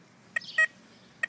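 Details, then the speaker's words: Tesoro Conquistador metal detector swept over a ring: short, broken, choppy chirps instead of one solid beep because the discrimination knob is set too high; backing it down to about four restores the signal. "hear how that's kind of choppy hear that choppy sound it's not good and solid like the other ones were that's because I have this discrimination knob set too high"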